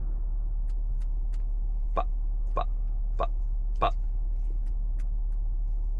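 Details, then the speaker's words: 2018–2019 Honda Odyssey, rhythmic triplet clicking through the audio system speakers, sharp clicks about every 0.6 seconds; technician suspects the rear control unit (RCU). "Customer states clicking noise on the inside through the audio system speakers."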